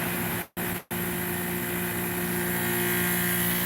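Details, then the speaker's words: Modified Goodman condenser fitted with a Trane part and a relocated expansion valve, fan slowed to about 1300 feet per minute; quiet, even whoosh with a steady low hum, no rubbing or ticking. Normal low-speed fan operation. "I noticed it was pretty warm when I made that fan go real slow. Boy, that fan is quiet right now."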